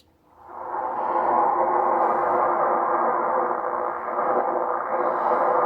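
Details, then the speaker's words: Ham radio receiver on 30 m using an 80 m end-fed half-wave wire with FT120-43 unun: loud steady hiss with a grinding rasp every few seconds; local electrical interference. "right now I've got a lot of electrical interference um but as you'll see you probably won't hear it on the inverted V just watch for a second listen this is the 80 meter and fed okay"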